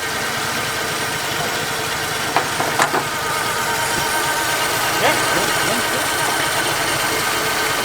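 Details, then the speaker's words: 1950 Plymouth six, started only every year or two, after the tune-up with new Econoline plug wires: soft, steady, even idle with a faint hum and no misses. The weird humming is possibly the water pump, unconfirmed. "Purring like a kitten now. It does, it really does."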